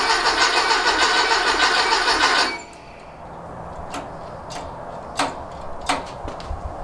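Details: Rob's rebuilt 1835cc air-cooled VW engine in a bus, first start since rebuild: steady cranking stops after a couple of seconds without firing, then only clicks; fuel and oil pressure fine but no spark.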